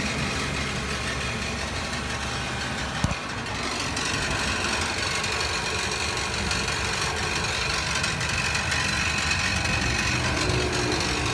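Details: 2017 Nissan NV200 SV cargo van idling with a light, uneven rattle over the steady engine hum; cause unknown.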